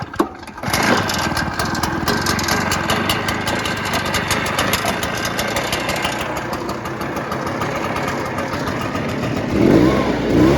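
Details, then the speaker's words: Cheap used Shindaiwa two-stroke backpack blower (broken kill switch wire): starts and runs at rough busy idle with thin high whine over it while smoking heavily from exhaust; cause not yet found. "all right it's making like a high pitched whining sound and it's fogging out"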